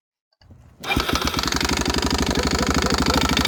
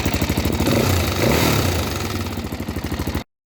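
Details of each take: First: Single-cylinder four-stroke bike engine, Suzuki DRZ 400 type, at idle: harsh irregular metallic smacking about three per second over the idle; valve guides disintegrating, leaving metal debris in the combustion chamber. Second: Rebuilt single-cylinder four-stroke (DRZ 400 type) with about 30,000 km, rebuilt after a broken valve guide dropped metal into the combustion chamber: even thumping rising with a light throttle blip, faint top-end clatter; normal running.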